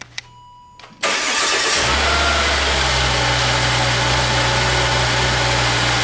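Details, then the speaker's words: Volvo 3.2L straight-six at 100,000-mile service just after changing spark plugs; brief chime, quick clean cold start to a smooth, steady fast idle without misfire, idling down as pre-cats warm. "easy should be nice and smooth it shouldn't sound rough it shouldn't be misfiring"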